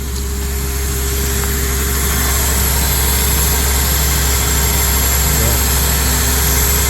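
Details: 2004 Honda Accord, which ran rough and then would not start, now started after one coil change but still idles rough and lumpy with a hard miss; one cylinder is misfiring.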